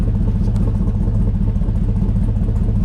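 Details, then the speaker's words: Pontiac Firebird with LS swap, at idle: lumpy V8 idle with a faint uneven stumble about every second, a slight miss; idle changes when one side O2 sensor is unplugged, O2 sensor issue suspected. "there's a slight miss in this. And watch when I unplug this side O2 sensor. You can almost hear the idle change."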